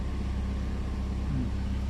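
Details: Toyota Vios, old high-use engine that dropped to 400–500 rpm and shook with AC on, after fitting an add-on AC idle-up box: smooth idle holds around 900–1000 rpm with compressor load, no hunting or shake; normal idle with AC on.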